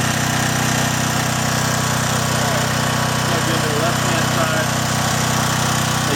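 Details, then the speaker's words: John Deere/Briggs & Stratton generator after a gummed carburetor was cleaned: runs steady, dipping only slightly as a 1500 W load is applied, then holds smooth. "you'll hear the engine load down just a little bit. I'm going to try the high setting. Hear the engine load a little bit. It's 1500 watts."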